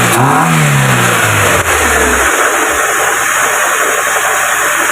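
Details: Proton Wira after throttle body cleaning, fixing low idle, stalling and no power: quick rev dropping back to a steady even idle without hunting or dipping; normal idle.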